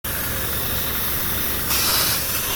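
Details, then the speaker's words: A car brought in for overheating has no coolant because the radiator is leaking; a strong steady hiss over the idling engine sharpens partway through. The car was hit, the AC condenser has a hole, and a replacement engine for a blown head gasket has been ordered under warranty. "so it's over came in for overheating that is because they had no cooling in it and that is because it is leaking right here at the radiator"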